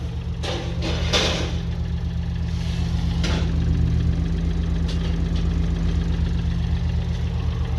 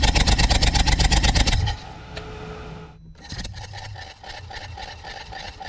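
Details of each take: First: BMW i8 three-cylinder bought with overheating issues and a suspected blown head gasket, no exhaust smoke, at idle: light even tapping about four times a second; unsure if normal, much of the noise comes from the car's speakers. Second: BMW i8 with overheating complaint, compression test while running: quick even pulses about three per second, then quieter steady run; all cylinders 160–170 psi, consistent, head gasket ruled out, engine healthy.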